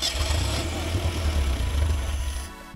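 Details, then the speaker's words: Ford Pinto sitting abandoned 30 years, first run on the carburettor fed through the fuel pump: it runs low and rough for a couple of seconds, then sags and dies. The stuck accelerator pump diaphragm doesn't shoot fuel on throttle, so it stalls. "if you can see here we got it to run a little bit but the accelerator pump the diaphragm is stuck so it's not returning when you hit the throttle so it's opening the blades and just killing it instead of shooting more gas"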